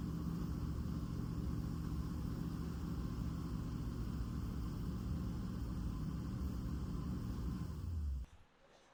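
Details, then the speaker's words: 1963 Chevy C10 small-block V8 after new muffler fitted replacing loud open exhaust: deep, even, muffled rumble at steady idle before shutoff; smooth healthy normal idle. "Well, now it's quiet. Um, that sounds actually really, really, really good. I like how it sounds. It's still not super loud like it was thankfully because that was pretty bad driving around."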